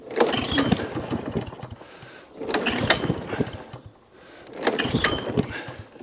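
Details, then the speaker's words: Job-lot mower with a badly damaged deck, started on choke with dead-man held: uneven sputtering bursts about every two seconds with sharp pops between, never settling into a run; owner suspects valve timing. "A lot of popping coming out of there. Could be a timing issue."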